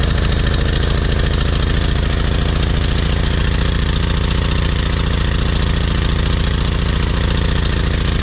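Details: PowerFlow+ pressure washer, Briggs & Stratton 190cc, after cleaning clogged carburetor jet and dried gas from over a year of sitting: quick even low thumping at steady speed, no misses or surging; smooth healthy idle.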